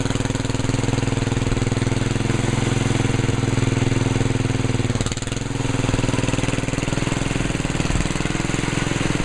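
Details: 1968 Sears 10 XL tractor mower after belt replacement; steady even engine beat at constant speed, no knocks or misses; normal running.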